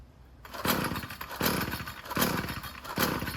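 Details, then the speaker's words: String trimmer small two-stroke, with replaced carburetor and fuel lines, no choke used, throttle not pressed: four pull-cord rattles fading with no firing; no-start, owner suspects flooding. "It ain't starting, so no reason. It should be, but I think I flooded it already to be honest with you."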